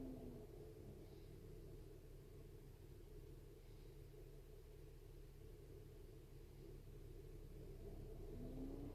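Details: BMW X5 E70 with DTC 377A: steady engine rumble with a faint whirring tone that climbs near the end from the failing electric coolant pump. The radiator fan raced high when the heater was on; replacing the coolant pump and thermostat fixed it. Antifreeze tested fine.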